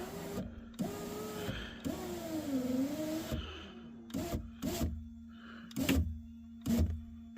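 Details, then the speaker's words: 2003 Chevy Tahoe passenger-side power window after regulator replacement, whose window previously would not come up: motor hums with a steady, even tone as the glass travels up smoothly, with no grinding or clicking; normal operation. "let's see what we got let's see if we see if we accomplished anything here they it's coming up"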